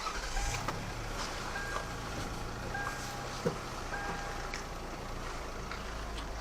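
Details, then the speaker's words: Lexus RX300 idling while the steering wheel is turned, after lubricating the steering shaft rubber boot by the brake pedal and replacing the alternator belt: steady low rumble, the steering squeak (meowing) gone. "слушайте всё скрипа нет вот так победили сегодня пару проблем поменяли ремень генератора и избавились от скрипа на руле"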